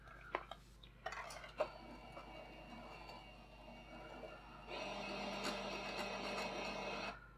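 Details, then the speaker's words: Faulty Sony PlayStation 5 disc drive before repair: a few clicks as the disc goes in, then a rough, straining spinning whir before stopping; disc rejected as unsupported. "hmm oh oh it's taking it but it kind of struggled ah unsupported disc"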